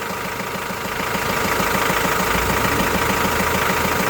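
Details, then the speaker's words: Renault Master 2 diesel, about 306,000 km, towed in with a frightening engine noise and smoke from the hood edges, now after repair: even diesel clatter at a steady idle with no knock or belt squeal. Running smoothly and healthy. "Hacı Bekir lokumu gibi çalışıyor ha sahile Güle güle kullansın inşallah"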